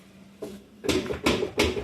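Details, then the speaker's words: Samsung 11M washing machine with heavy hollow clunks repeating about every 0.4 seconds as the loose drum knocks in its tub; a broken shaft or torn basket is possible, but at this level it is a broken spider (tripod) shaft. "O que pode estar acontecendo com essa máquina aqui é o eixo dela pode estar quebrado ou o cesto pode estar rasgado, tá? Mas nessa proporção aqui, ó, é o eixo tripé quebrado."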